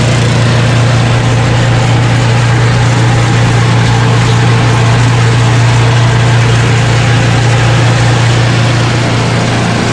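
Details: Craftsman 29" snowblower, 9HP Tecumseh single-cylinder, after carburetor cleaning with a blocked pilot jet cleared: low, even putter holding a steady slow idle, no hunting or surging, carburetor idling cleanly.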